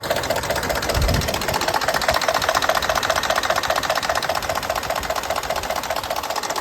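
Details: 2019 Ford F-150 5.0L at idle with new OEM timing components, phasers, actuators and solenoids: light, regular ticking knock, about two to three per second, still present after repair; source unknown.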